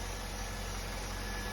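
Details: 2006 Volvo XC90 V8, after PCV valve replacement for codes P0171/P0174: quiet, even low hum with a steady beat, no misses or ticks; runs smooth.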